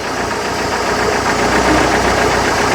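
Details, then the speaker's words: Mercruiser 120 hp inboard-outboard on a 1968 Starcraft Islander barn-find boat, rough idle stuck around 1200 rpm with idle adjustment maxed out: constant light tinny metallic rattle at the engine front; owner suspects timing chain or water pump bearing, not confirmed. "Now you heard me start it up, I heard a little tinny tin tin sound. It sounded like it's on the front of the motor. I'm thinking it might be timing chain."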